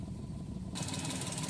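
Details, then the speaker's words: Maruti Suzuki Alto 800 idling in neutral with no check-engine light: uneven, stumbling misfire that comes and goes according to the owner's complaint, caused by the ignition coil. "ये भी आप देख सकते हो इसमें कितनी missing है अभी हमारी गाड़ी स्टार्ट है"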